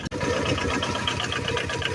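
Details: Aixam microcar started after standing a month, warming up: busy uneven ticking clatter over the engine drone at idle; owner hears something off, source unknown, later stalled.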